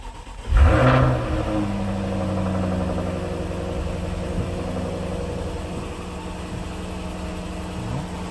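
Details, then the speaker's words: 2018 Jaguar F-Type R (X152), an auction rebuild project, on its first start. Cranks and fires at once with a brief rev flare, then settles to a smooth steady idle. The engine sounds okay, with some valve tapping audible. "It runs. Didn't sound bad when it fired up. Engine sounds okay."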